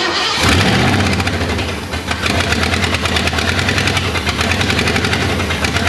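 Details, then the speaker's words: 1961 Ford Unibody with 1968 Mustang 302, first start after 29 years on regular fuel: it cranks, catches and roars into an uneven, lumpy, wavering run, smoking as Marvel Mystery Oil burns off. "yep that's what we call a success that's what we call success making smoke well will it run yes will it smoke absolutely"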